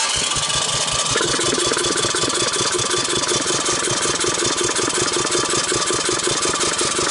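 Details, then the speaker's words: 1984 Honda ATC200ES barn find with valves set slightly loose: starter spins quickly and evenly about 160 beats a minute with no firing; dry compression under 30, wet 60, low compression. "so here's a quick compression T and uh we didn't even make 30 so that's dry"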